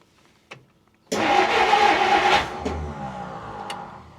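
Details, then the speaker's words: 1959 Plymouth Fury, first start after about 38–40 years stored, fuel poured down the carb: catches, runs a second or so smooth and even with no lifter tick, then dies; healthy start. "Oh man, it wants to. No kidding. I had no lifter tick, no nothing. And that sounded so good."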